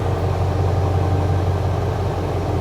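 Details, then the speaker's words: 1994 Ford F350 Powerstroke diesel idling after the heater load is switched off, voltage dropping to 12.7: a steady, even, unlaboured idle with a smooth constant hum, sounding "happier" with no strain. "So if I kill the switch, listen to the truck, it gets a little happier."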